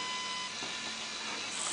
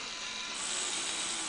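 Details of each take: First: Light, even whir from the small motor and gear train of a fischertechnik pneumatic robotic arm, no catching or rattling; the little gearbox runs smoothly, normal running. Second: Fischertechnik pneumatic hand model: a thin, fast, chattering rattle from the small motor drive as the gear knocks against the motor.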